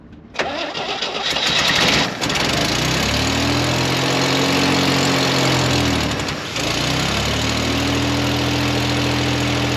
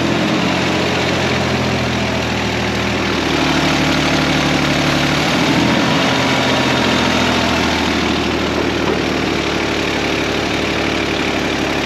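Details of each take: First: 1969 Jeepster Commando after tune-up: catches after short crank, steady idle with blip; carburetor still off, possible vacuum leak suspected, apparent exhaust leak on one side, oil residue burning off manifolds. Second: Carbureted engine being prepped for auction, idling with excess fuel: steady idle that speeds up briefly when spray hits the carburetor base, revealing a vacuum leak there; owner suspects loose base or worn, warped carburetor.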